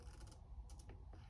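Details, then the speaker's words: Faint irregular clicking and ratcheting each time the front brake lever is pumped while bleeding a 2007 Suzuki GSXR 750; questionable front master cylinder, possibly not fully bled yet, rebuild likely if the noise continues. "But already I don't like that sound. I'm probably gonna have to rebuild this master if it continues."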